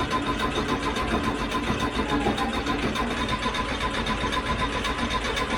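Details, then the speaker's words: Air-cooled VW Beetle show car with a new fuel tank and electric fuel pump on, on a lift, carburetor not yet fuelled: a steady starter churn of about 3.5 beats a second that never fires. It cranks with no start because no fuel is delivered. "hold up i'm not getting any fuel we're not getting any fuel"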